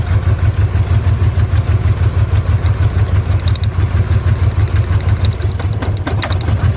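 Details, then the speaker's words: 1997 Ford Ranger 2.3 four-cylinder with eight spark plugs idling roughly with deep, lumpy chuffing, about three uneven pulses a second; extreme misfire, seemingly running on two or three cylinders. "aggressively full, but we can see clearly that it's running on 2 and 3 cylinders."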